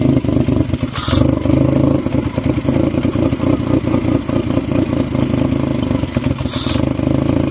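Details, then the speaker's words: Fiat Stilo that only starts when the throttle body is pushed: rough, shaky idle that keeps swelling and sagging as the throttle opens and closes, hunting for air; bolts and PCV ventilation checked tight, and the cause of the air problem is still unfound. "Well, as you hear, it's still shaky. It's searching for air, which you can hear."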